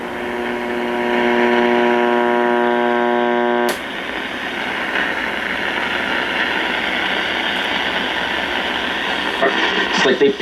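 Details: 1958 Philco F-750 clock radio after replacing two bumblebee capacitors and an out-of-tolerance 68 ohm resistor: steady humming tone then even static hiss while tuning; warmed up, playing normally.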